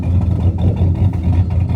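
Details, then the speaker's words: 2001 Chevrolet Silverado 5.3 V8 4WD that keeps charging at 16 volts even with a replacement alternator; lumpy, uneven idle with irregular stumbles and drops in exhaust pulse, normally sounds cammy; misfire, cause unknown. "sounds like it's got a cam in it most time but now it's just doing this crap"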